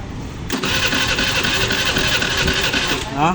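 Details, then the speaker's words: Pulse 150i motorcycle with good fuel supply, injector, sensor and spark but won't start: cranking is quick and light, uneven chug with little resistance; compression tester reads only 50, should be about 125–150; low compression. "Okay supply sa gasolina pero kpro niya lang sa 50 tamao dapat sa babaw sa mga 150 or sa mga 125"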